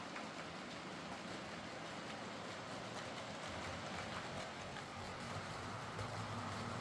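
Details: Heljan Class 23 model locomotive after repair: split drive gears replaced with 3D-printed ones. Running on track with a steady, even rumble and light rail clatter, no kicking or catching. Runs very nicely, smooth and healthy.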